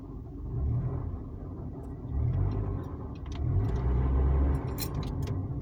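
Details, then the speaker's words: Car while driving: deep low roar swelling every time the throttle is pressed and held, easing off when lifted or braking; acceleration rumble, source unknown. "like every time i press on the gas every time and i'm holding it it does it"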